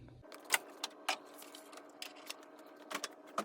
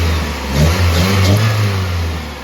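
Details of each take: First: 1995 Toyota Celica before replacement of its leaking OEM flex pipe, which seems to leak at the two-bolt clamp between header and cat. It cranks, catches, then a loud raspy hissing blat bursts out on the rev. Exhaust leak. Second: 1995 Toyota Celica after replacing the leaking OEM flex pipe between header and catalytic converter: steady low exhaust rumble with a slight blip, no puffing or ticking leak; normal running.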